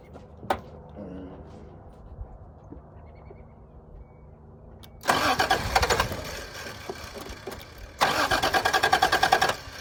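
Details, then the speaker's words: 1986 Toyota Supra, air box off with ether sprayed in: two bursts of steady cranking about a second and a half each with no catch or firing; owner suspects it needs gas or a bad fuel pump. "It did crank over, so."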